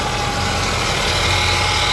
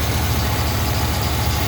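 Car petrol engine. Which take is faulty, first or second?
first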